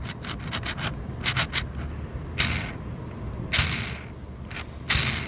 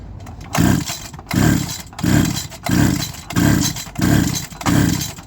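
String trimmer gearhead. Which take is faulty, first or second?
first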